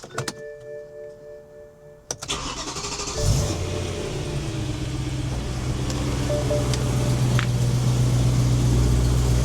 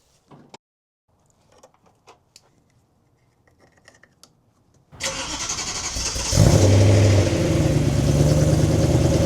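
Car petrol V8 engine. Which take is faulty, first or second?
second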